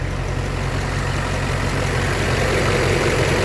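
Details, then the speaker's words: 2005 LBZ Duramax, swapped and 180k, after cleaning worn injectors, idling under an hour: a light typewriter tick about three per second over the rumble, one injector louder than the rest, owner suspects number 2 at the front. "one injector is a lot louder than the rest of them. Typewriter tick, kind of. Just one of them."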